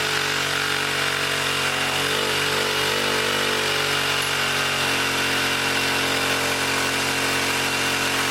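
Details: 1959 military single-cylinder engine fed from fuel line in a gas can, carburetor high-speed circuit sprayed out and slightly flooded: high steady buzzing pitch far above working speed, overspeeding as the governor runs wild.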